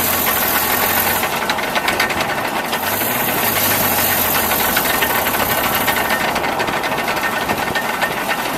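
Fast, irregular knocking and rattling over the idle, roughly four per second, loud underneath the truck; source not pinned down.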